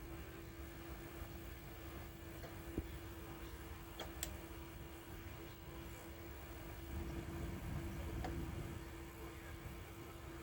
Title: SONY EDV-8000 takeup reel not turning freely and clicking sound